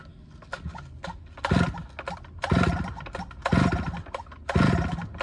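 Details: Stihl 009L chainsaw after fuel line and oiler work, cutting wood: crisp revving bursts about once a second as the chain bites and clears, returning cleanly to idle between cuts; it runs, oils and cuts well.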